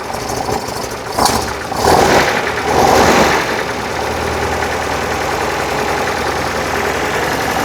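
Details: 1968 VW Type 3 with freshly installed 1835cc air-cooled engine, first start after install: short crank, catches quickly, a couple of blips, then a steady, even idle while oil burns off; normal start and idle.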